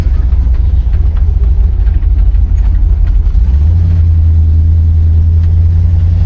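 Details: 1970 Oldsmobile Cutlass, Rocket 350 V8, about 52°F outside: deep strong rumble steadying to smooth even drone, no belt squeal or rattle; oil pressure, vacuum good; normal running, healthy engine.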